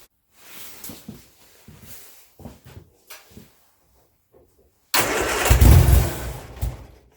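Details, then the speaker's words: Turner Ranger four-wheel-drive tractor with 1098 A-series engine, sat six months, cranked after priming the fuel filter: weak, uneven cranking thumps, then a two-second burst on choke and a little throttle before it dies; cranking, almost starts. "oh nearly a little bit of throttle there"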